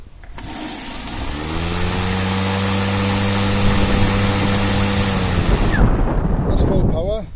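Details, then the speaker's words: Husqvarna LC551iv 51cm professional battery mower, two batteries, full power mode: motor spins up to a steady even hum, holds full speed cleanly, then the electric brake pulls it down quickly; normal, healthy. "power, bit of an electric brake in there too, which is good."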